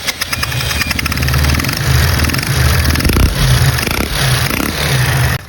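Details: Small single-cylinder Phoenix motorcycle engine running rough and loud with an uneven, laboring beat and an unhealthy mechanical noise while smoking; the fault in the engine is undiagnosed.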